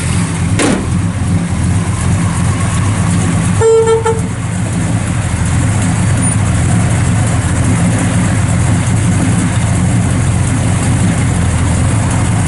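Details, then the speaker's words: Restored 1966 Chevrolet Chevelle SS 396, 4-speed, 138 VIN, mild non-radical cam, idling after start: deep lumpy V8 burble that stays even, brief horn toot early; healthy idle. "A nice little cam in it. It's nothing real radical, but just good sounding cam."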